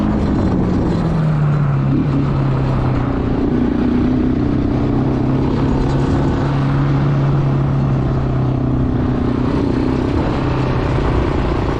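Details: Bayou 220 ATV, sat for 8 years, on a test ride with a helmet camera; a steady single-cylinder drone rises and settles through the gears under wind noise. All gears work, no bogging. Normal running.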